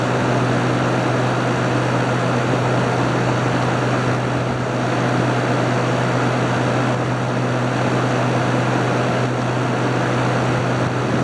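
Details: Haier ESA410J-RGB 10,000 BTU window AC cooling, ice-cold airflow, fan shown and called very powerful: strong even blower roar with a steady low hum, no rubbing or rattles; fan healthy.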